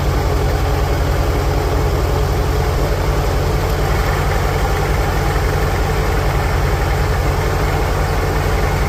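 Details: 1946 International Harvester Farmall H, in neutral after a pushrod replacement and deep cleaning, with a low battery: slow, steady low chugging that holds an even beat with no misses or knocks; normal, healthy idle.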